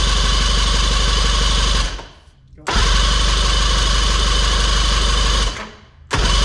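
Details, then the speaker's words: Old boat engine, bought in very damaged condition, run after cables removed and neutral readjusted and spark checked: fast, steady, even firing that briefly drops away twice and picks straight back up, smooth and strong; engine running healthy. "the engine ran woo dude that sounded cool"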